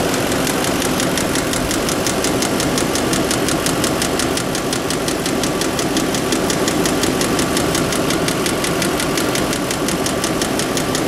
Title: Audi A8 Engine Knocking Noise